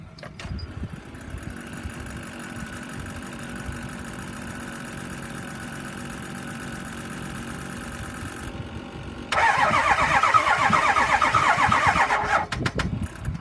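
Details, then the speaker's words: 2005 Ford F-350 6.0L diesel, 139,000 miles, sat almost a year, on three jump boxes after starting fluid: starter turns slowly and unevenly, about four beats a second, and never catches; batteries half dead, owner suspects bad fuel. Slow cranking, no start. "And, um, you'll hear it turn over. I already sprayed it with starting fluid. I could not get it running."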